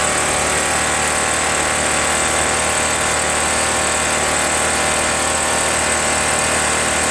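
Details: RedMax EBZ8050 two-stroke backpack leaf blower running after new piston rings installed to fix no compression, following very hard starting. Steady high buzzing pitch with fan rush over it, no misfires or stalling: normal running.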